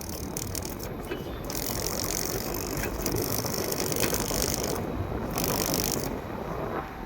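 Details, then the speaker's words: Air conditioner unit running hum with a fast, rapid ratcheting tick that comes and goes; an onion peel caught in the fan causes it, and holding it stops the noise. "ये आवाज ये छिलके की वजह से आ रही है। सिर्फ ये देख रहे हैं ये छिलका लगा हुआ है।"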